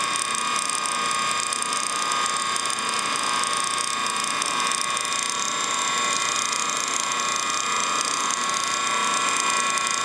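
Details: Antique ring-oiled Wagner 2hp electric motor from a 14-inch saw, runs well but one bearing is shot and gets too hot to touch, new bearing ordered; constant dry gritty rasping whir with fine ratchety ticking.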